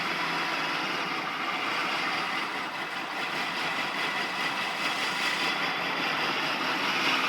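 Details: 1999 Acura Integra idling with an uneven, loping hiss and no steady beat underneath; rough idle, cause not apparent.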